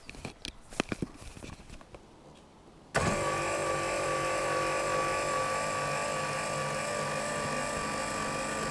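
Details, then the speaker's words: Forest River Palomino SS-1251 pop-up camper roof lift actuator after gearbox lubrication and regreasing: smooth, even motor drone with steady whine, the earlier sand-like crunch in the gears gone; normal roof lift motor operation after fix. "this is much quieter and I no longer hear that crunchy sound like sand in the gears so I think this issue has been fixed"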